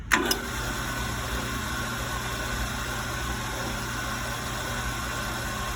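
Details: HF 9x20 lathe running: constant whirring hum with steady mid-pitched ring over the motor; weird noise traced to worn drive belt, normal after new belt installed.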